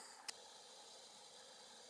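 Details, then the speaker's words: Gas boiler pilot after needle valve adjustment to reduce excess gas that caused white soot: quiet, steady soft hiss with no roar or flutter; pilot burning properly. "that's better you don't hear it roaring now if the pilot goes out I might have to open that up a little bit but I don't think so"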